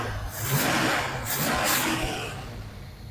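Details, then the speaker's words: Abandoned 1978 Camaro 305 V8 just brought back to life, fed slightly dirty fuel through a filter: revs up cleanly in quick blips and settles back with no misfire; the 305 runs healthy. "Woo! I thought it was just a 305, man. That 305 come alive."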